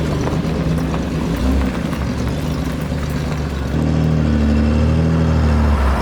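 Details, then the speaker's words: Six-cylinder Ford Explorer, bought trashed for a project build, revved under load: rough, uneven pulsing low drone, misfiring and not firing on all six cylinders. "did you hear how it sounded kind of crappy when he pulled it up yeah that's cuz it was under load and it's you know it's not hitting on all six cylinders yet"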